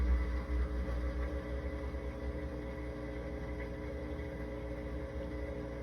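A steady low hum holds an even pitch with a faint rumble underneath throughout; the dishwasher is humming, cause unknown.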